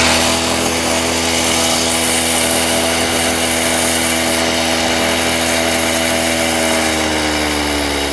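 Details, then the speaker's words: Stihl TS350 Super cut-off saw, two-stroke, restarted after rebuild with new cylinder, piston, crank bearings and seals: high buzzy fairly steady rev that sags near the end, sounding slightly rich; boggy running, needs carb adjustment. "excellent we have a working saw um what i'm gonna do now it's just a bit boggy in places i'm gonna adjust a few things"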